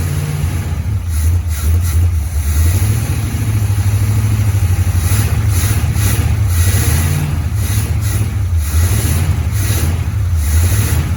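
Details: 1973 Firebird, first start after sitting at least 23 years and previously seized: deep, uneven, lumpy running with lazy revs swelling and dropping every second or so. Compression tested 130 on cylinder 2, 100 on cylinder 1 and near zero on the rest; carb rebuilt, new condenser.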